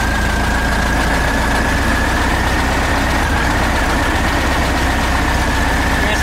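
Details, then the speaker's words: VW Type 3 engine just fitted with a new 034 SVDA Pertronix distributor, ignition timing not yet set, vacuum not hooked up: uneven idle with a slight stumble and unsteady firing; rough idle from unset timing. "yeah there it is it's a little stumbly but it's all part there it is ready it's not timed but"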